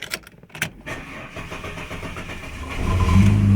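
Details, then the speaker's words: Holden VT Calais, serviced with a fresh fuel filter, started and revved. Long crank before it catches, then lumpy, uneven running at first; owner suspects the fuel pump is failing. "It takes a while to start and doesn't run the greatest at first. Now, I wouldn't mind betting the fuel pump's on its way out."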